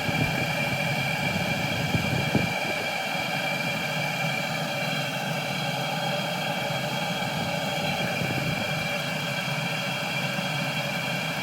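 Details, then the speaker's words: Cheap Chinese 12 V diesel heater at 11.5 V, getting very hot and being turned up; small stable air bubbles in the diesel pipe. Steady, even fan and burner hum with constant tone, no surging or sputtering; burning normally. "it's starting to get very hot let's turn it up"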